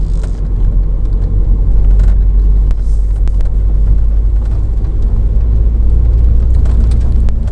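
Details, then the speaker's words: 2007 VW Caddy 1.9 TDI 105hp BLS diesel driving after replacing alternator pulley and auxiliary belt/tensioner that had squealed and lost charging: low steady road rumble and engine drone, no belt squeal, chirp or rattle; runs fine. "So anyway, it seems to run fine. No strange lights, no strange noises."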